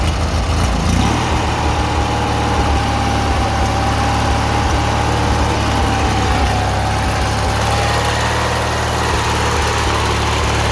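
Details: 18 hp Murray V-twin riding mower, after carb cleaning fixed rough idle and surging: steady, even low idle holding speed smoothly, no surging or hunting; normal idle.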